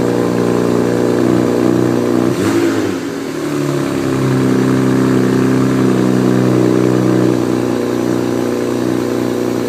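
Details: BMW E92 with N54 engine, cold start; brief crank then fast idle with a light metallic rattle over it: cold start rattle, cause unclear.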